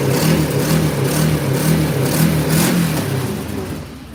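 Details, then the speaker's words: Motorcycle started cold in snow, earlier seeming to run on one cylinder on high choke: quick, even exhaust beat revving cleanly and settling without stumbling or popping; running perfect once warm, purring like a kitten. "Now it's running perfect. Listen to that thing, it's purring like a kitten."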